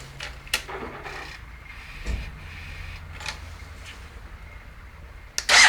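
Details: Uneven clacks come and go over a steady idle on this BMW F800GS twin; something is making abnormal engine noise at idle, source unclear.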